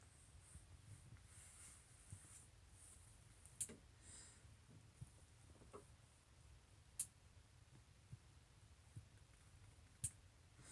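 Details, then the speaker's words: Massey tractor loader hydraulic valve after adjustment to fix bucket tilt-down: quiet low hum with a crisp click every three to four seconds as the lever shifts; the valve now clicks cleanly both ways. "there so you can hear the valve clicking both ways now so I think that's adjusted"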